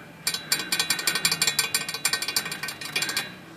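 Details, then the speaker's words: Royal typewriter (possibly a Safari or Custom III, back panel missing): quick bursts of sharp metallic clacks, about eight a second, each with a bright extra tick as the typebars tap the lid; the fix is flexing the lid upward. "tapping the lid here on these as far as you can hear it tapping the lid right there"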